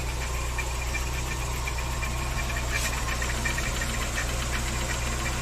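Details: VW Saveiro G4 with AP 1.6 engine idling with the valve cover off; loose uneven tapping about three knocks a second under the hum; owner suspects the timing belt or pulley, source unclear.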